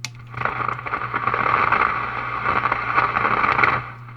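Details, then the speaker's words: Restored RCA Model 641 tube radio at first power-up, no antenna fitted, being tuned across the dial: soft hiss with crackles and faint fluttering, no station, normal background static. "well that's some noise out of the thing I'm turn turning the tuner a station there's a little hetr [Laughter] dining I'm tuning the knob to see if anything's going to happen there's no antenna on this radio so I don't expect to get anything but you never know"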